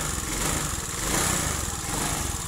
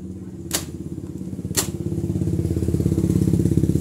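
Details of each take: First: Honda Beat fuel-injected scooter with a hard-starting and fuel pump fault; steady even idle, rapid low putter and light hiss. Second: Honda Beat fuel-injected scooter cranks but won't start: rapid starter churning with sharp clicks, engine never catches; fuel pump ground circuit from ECM found weak while supply voltage normal.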